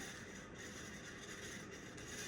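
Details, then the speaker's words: 1990 42-inch ceiling fan on high speed, drawing 0.41 amps: steady, rough rattling hiss over the motor hum; worn bearings making a racket and needing replacement. "Man, these bearings are making such a racket. If I were to install this, this is not going in and installed in my house until these bearings are replace"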